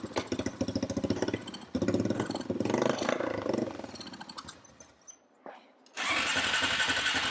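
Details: Honda TRX350 ATV after carburetor cleaning, refitted part that was left out; starts and putters unevenly, sags nearly to a stall, then catches, won't rev cleanly; owner suspects too little air-filter back pressure for the slide, or valves needing adjustment.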